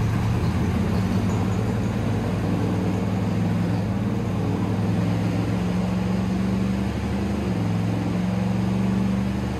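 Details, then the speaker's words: 1969 Corvette V8 on dyno, torque converter testing: steady deep drone under load sounding flat and lazy; possibly a dead cylinder, plugs or plug wires suspected. "is it me or does it sound really lazy looks like it's fatter I don't have to look at them it just sounded lazy"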